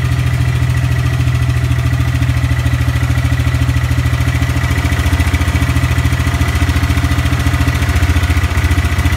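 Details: EZGO golf cart (1994-2008) with 625cc 23HP big block upgrade engine, test run: steady low chugging at an even, quick beat with no misses, knocks or stumbles; runs smooth and healthy.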